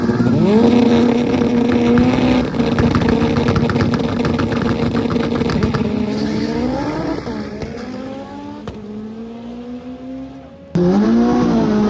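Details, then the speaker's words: K24 AWD Honda Civic drag car on a pass at PFI SpeedFest, Pueblo, after warming up: hard revving with a choppy, stumbling beat that stays rough as revs fall; a heavy misfire, as if down a cylinder. "car started misfiring really really bad it feels like it's down a cylinder or [Music] something doesn't sound good it's like misfiring big time"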